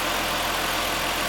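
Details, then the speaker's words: 2005 Ford Freestyle 3.0L, which had a check-engine light, power loss and a cylinder 1 misfire, restarted after repair and a cooling system refill: a steady, even idle with no stumbles. It runs smoothly with no misfire felt. "the car is running very well right now i don't feel a misfire it runs really smooth"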